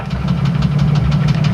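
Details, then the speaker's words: 1994 Chevrolet Astro van, idling on a roughly 80° day: deep idle with sharp regular knock about six a second. Owner thinks balance shaft has come loose or bearings are going bad, unconfirmed. "it's got a clunking noise I think the uh balance shaft has come loose or the bearings are going bad or something but it does clunk clunk clunk"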